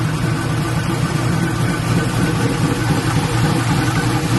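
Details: LS-swapped Black Haven Buick Regal V8 idling after a thermostat change and coolant refill, leak check: steady, even low rumble, no knocks or misses; "sounds pretty good", healthy and smooth.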